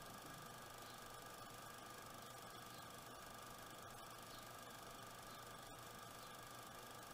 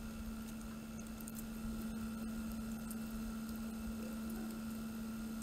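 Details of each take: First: Water cooling pump running at 40% speed: faint constant hum with a thin steady whine, no knocking or rattle; annoying noise, cause not found; the noise later went away after disassembly and reassembly. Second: PC water cooling pump at 100% speed, microphone pointed at pump: quiet steady hum at constant pitch, no rattle, grinding or gurgling; earlier noise gone after disassembly and reassembly, pump apparently fixed itself.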